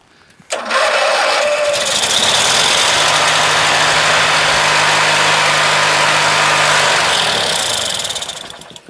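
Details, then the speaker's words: Craftsman LT1000 lawn tractor with Briggs opposed-twin 19.5 hp engine, unused all winter, with bad gas and water in the tank. It catches only on sprayed carb/contact cleaner, runs rough about six seconds, then dies: fuel starvation. "I had actually sprayed fluid into the carburetor that's the reason why it started a little bit"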